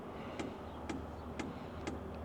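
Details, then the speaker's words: New BougeRV portable diesel heater at startup: fuel pump ticking about twice a second over steady blower hum while priming, quieting down quickly; normal for a brand-new system. "Now, I'm sure you can hear the ticking of the fuel pump. Well, I mean, it's it's already going down. Not a surprise on a brand new system. The pump has to prime."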